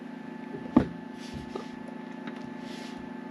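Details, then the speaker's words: Victron IP22 Blue Smart 12V/30A charger on a LiFePO4 battery at about 13.51 V is silent at the lower setting. The faint steady low hum with a couple of handling knocks comes from the inverter, which is normal. "No sound coming from this. The hum we hear is from the inverter, which is normal."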